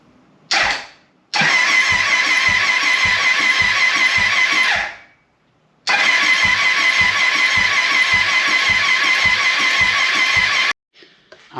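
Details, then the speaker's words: 1996 Triumph Thunderbird 900, fresh oil and fuel: starter spins the engine fast and light in two long bursts with no firing, because no spark plugs are installed. "so we cranked it over and we didn't get anything and i realized why i think things are getting a little strange here uh but if you look there's a good reason why we're not getting any combustion we don't have any spark plugs in here i don't think so"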